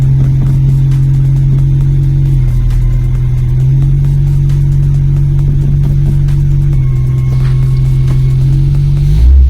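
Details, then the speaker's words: VW Polo with cleaned, re-gasketed Pierburg 2E carburetor, idle and mixture adjusted, temporary air filter: steady even low note with smooth blips up and down, no stumbles or misfires; engine running cleanly after carb repair. "Y la verdad que va muy fino, la verdad. No da ni un tirón, corre bien, no hace falta ajustarle más nada, por lo menos en este coche."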